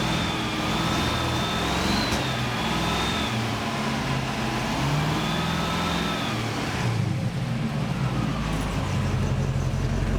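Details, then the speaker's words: Mk2 Jaguar widebody coupe with a rebuilt 101 3.5 V8, run on a hot day: ragged, stumbling revs that break up and begin to cut out. Misfire with no water pumping out and a strong fuel smell, cause not yet found. "Like say I've just got this misfire uh and it's breaking up and it's actually starting to cut out."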